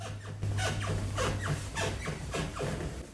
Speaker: here's the floor squeaker we're going to fix right